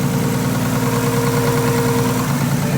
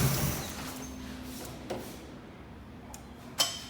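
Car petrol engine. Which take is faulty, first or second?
second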